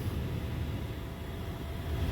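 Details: Dodge Ram 1500 with a known-good HVAC module plugged in, key on, blowing cold: quiet, steady low whoosh with no whine, rattle or surging; normal blower operation. Recirc noted acting up.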